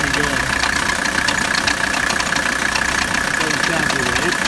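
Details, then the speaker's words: 1985 Mercedes 300D diesel idling during AC recharge, second can of refrigerant: idle clatter with an extra rough rhythmic knocking about three times a second; AC compressor getting noisy, owner suspects it may be bad. "We're on our second can. Compressor's starting to get noisy."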